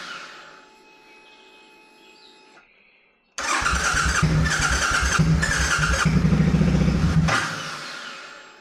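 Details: C50 during rebuild, first start after cleaning the tank and fitting a new fuel pump, with black oil: the engine bursts into life but surges and drops in uneven pulses; not happy, running rough.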